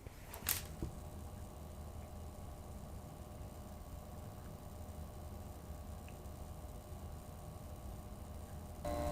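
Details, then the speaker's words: Thermalright Frozen Prism 240mm AIO cooler pump at about half speed, microphone about 6 inches away: steady low hum with a faint constant whine over low rumble; pump is really loud. "This is a test of the pump noise with the microphone approximately 6 inches from the pump. This is running at about half"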